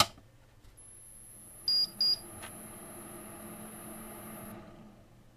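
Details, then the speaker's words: Power supply from an ABIT AX8 vintage PC, run on a power supply tester: two quick high beeps, then the faint fan hiss dies a few seconds later; the supply shuts down instead of running constantly and is faulty. "oh yeah stopped right away there's something wrong with this power supply it was supposed to be working constantly so we can say it's faulty that's for sure"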